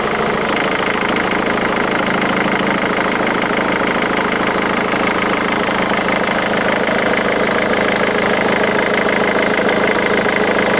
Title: Ford Mondeo MK3 2.0 TDCI strange engine noise - is it a failure?